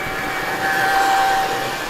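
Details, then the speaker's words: Dapol Class 22 model diesel loco (D6331, Imperium DCC) at 50% power, speed picking up: a steady thin motor or gear whine and slight strain. The whine eased later in the run as the gears bedded in. "Now you can hear the engine sound there, so it's straining a little bit, and that's really that whining noise actually eased during the running session."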